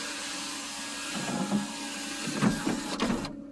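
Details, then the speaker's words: 2004 Cadillac DeVille with 97,000 miles, sunroof with shade visor operated from inside: smooth electric whir for about two seconds over faint hum, then a clean stop; sunroof working normally. "that's the old school CD player center console and sunroof with shade visor which works the roof opens and"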